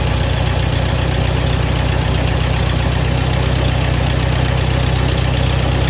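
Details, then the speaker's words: Allis-Chalmers WD tractor engine idling normally just after starting cold in a shed at about 35–36°F, choked then choke pushed in, air drawn through oil bath cleaner after fuel sediment trouble; steady even low chug about three beats a second, running good. "okay that's what's supposed to sound like so far running good"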